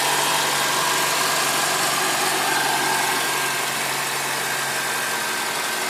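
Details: Honda Accord engine at idle: steady idle with a fairly even light tapping about four times a second over a hissy top end; abnormal engine noise, cause unclear.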